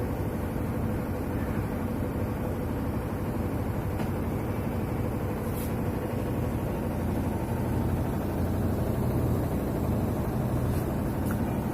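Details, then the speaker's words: Whirlpool White Magic Pro XL 800S top-loader on spin cycle after taping down a loose plastic bag/part that caused rattling: steady, low, even hum with no rattle; vibration suggests shock absorbers may also be faulty. "जो आवाज़ पहले आ रहा था आवाज़ अभी नहीं आ रहा, problem solve हो चुका है इसका।"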